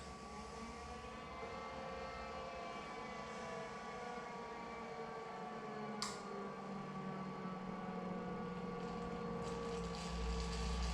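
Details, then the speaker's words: Series 8 printer during commissioning, jet restarted after enabling phasing, errors and high-voltage deflection; jet and return to vacuum running: even fan-like whir with steady high tone, no surging; looks and sounds good, normal running. "everything looks and sounds good so once we've started up this will come up and it will come up with a ready status"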